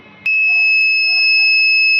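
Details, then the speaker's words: Microtek UPS XP1400 gives a single high, unbroken beep the instant the battery's positive wire is connected, and it will not switch off even with the off pins shorted; control board fault, with rat damage found inside. "हमने battery के positive wire को positive terminal से connect कर दिया है तो आप सुन सकते हैं बीप की साउंड लगातार आ रही है"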